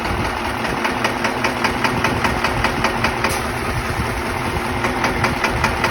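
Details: Diesel engine idling with a sharp, even knock at about two and a half per second. A faulty injector is causing the knock.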